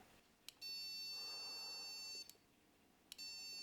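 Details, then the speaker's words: Frigidaire Gallery electric range burner switch after cleaning burnt contacts, ohmmeter across P2 and 4: clean, steady high continuity beep dropping out and returning as knob turns; good contact all the way through, normal. "Nice, we're getting good contact all the way through."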